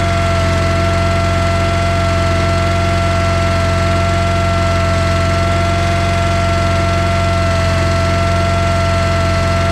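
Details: John Deere 318 lawn tractor that stalled and wouldn't start or crank, run by jumping power to the starter with key on: steady even hum, no misses or knocks; starter good, a safety switch prevented cranking.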